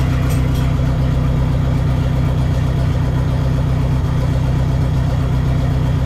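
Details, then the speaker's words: Neon SRT-4 four-cylinder first start after clutch master cylinder replacement and new plugs gapped at .032: deep, even idle holding a steady low beat, no misses or knocks; running cleanly, clutch still needs more bleeding. "all right starts runs flaps Ting Ting Ting"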